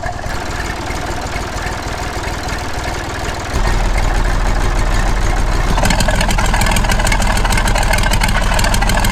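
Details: Massey Ferguson 35X diesel tractor at 800 rpm with the original exhaust, before the new QTP silencer goes on: steady, even diesel chug settling to idle with no knocks or misses; normal idle.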